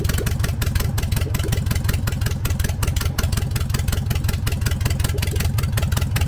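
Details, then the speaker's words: First run of freshly rebuilt 1915cc air-cooled flat-four in a 1303S Beetle after timing adjustment, idling with no exhaust fitted: loud, crisp, rapid even popping from open ports, no knocks or misses; normal idle. "obviously i'm not going to be running it without an exhaust but holy i'm going to take the radio mic off"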